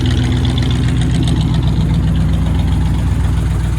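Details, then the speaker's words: 1968 Cadillac DeVille V8 after an oil change (possibly slightly overfilled), idling warmed up with automatic warm-up throttle; rough at first start, now a deep, steady, even burble with no knocks or ticks, heard from the rear: normal warm idle. "let this warm up and see what she sounds like sounds good back here yeah"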